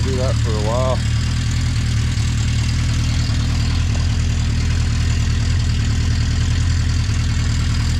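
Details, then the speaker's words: 1980 Honda CB650C four-cylinder, just after a cold start on choke with the original OEM 4-into-4 exhaust refitted: deep, steady burble with an even, unbroken beat and no misses. Clean, normal idle. "yeah sounds good that's awesome listen to that oh yeah keep running good"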